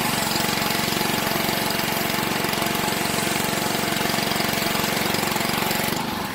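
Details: Honda 6 hp pressure washer engine (2650 PSI), sat outside 2–4 years with suspected water in the gas tank, after oil, gas and spark plug change and carburetor cleaning: steady, even single-cylinder putter at constant speed, no misses or surging; running normally.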